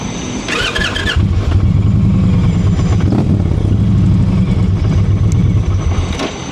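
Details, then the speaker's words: 2023 Indian Pursuit, liquid-cooled 108, about 20,000 miles, battery just replaced: chirpy, dolphin-like squeal for about half a second while cranking, then it catches to a lumpy idle. Cause unknown. "Definitely sounds like a dolphin. I don't know why that is. Um when Harley's start up, they sound like they have more compression and more it's a little deeper."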